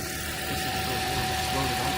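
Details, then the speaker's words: 2010 Toyota Corolla, 213,000 miles, back running after a no-start (battery replaced, alternator suspected): even, steady idle with a faint constant whine and no knocks or misses. Normal idle. "That sounds all right. All right. You fixed it. Usually don't have to give the gas to keep it running."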